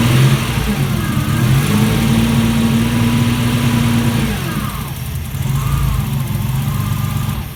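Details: Alfa Romeo GTV 2.0 V6 Turbo, first start after rebuild, AFM-to-MAF conversion not yet tuned, aux belt needs re-tensioning: loud, uneven running with revs rising and falling around a fast idle.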